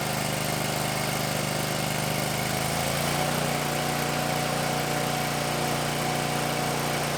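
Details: 2019 Bad Boy Maverick mower with a Kohler 747 engine, near 100 hours, just serviced with new oil, oil filter, air filter, fuel filter and spark plugs; it catches after a couple of seconds and settles into a steady even idle under rain drumming on a tin roof, sounding healthy.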